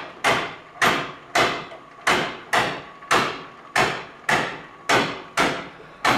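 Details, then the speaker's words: Up-down power feed lift on 12 volts, running slowly: sharp clacks about twice a second in an uneven beat as the chain jumps sprocket teeth; needs idler sprockets. "you can hear it jumping teeth and what that's going to do is going to start bringing it up and down like that"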